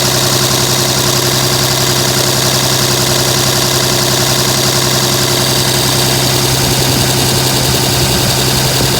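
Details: 2007 Dodge Ram 5.9 Cummins diesel, rough idle for about a month; uneven, lumpy beat about 160 pulses a minute with ragged exhaust note. Intermittent fuel rail pressure sensor, MAP sensor and overboost codes (no boost fooler fitted); owner asks if blow-by excessive.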